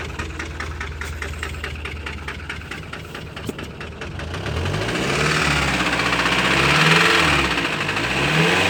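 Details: Ford Transit 2.4: rough idle with a rapid regular knock, revs swelling up and down with the knock continuing; knocks, misfires and stalls.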